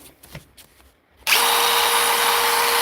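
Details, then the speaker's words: DeWalt impact driver after repair, last screw tightened: clean, steady high-pitched motor whir from a sudden start, even and free of rattles; declared fixed. "There you are. That's perfect. I'm happy with that. I'm calling that fixed."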